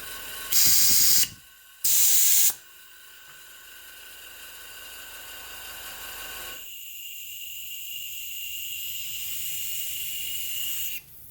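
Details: Home-built Farm Boy hit-and-miss model engine, cylinder pressurised to about 35 psi, engine not running: steady sharp hiss of air leaking past a poorly seated intake valve, which needs relapping; exhaust possibly leaking slightly.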